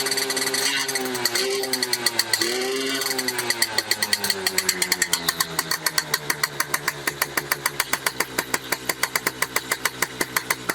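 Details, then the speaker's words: Restored, rebuilt Yamaha F1ZR two-stroke with standard CDI, pulser and magnet: sharp, evenly spaced cracks that quicken as revs build, running poorly. The mechanic judges the ignition timing too far advanced. "nembak-nembak di sini adalah dia itu kayak pengapiannya terlalu kedepan akhirnya si mesin itu larinya ke belakang"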